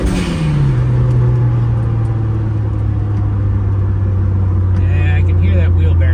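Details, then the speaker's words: Rear whine heard while driving slowly: a low droning hum that falls in pitch as the car slows, then holds steady, most audible at low speed when slowing down; owner guesses a rear wheel bearing. "Yeah, the noise happens pretty low. It's down low. When I slow down a little bit, you can hear it."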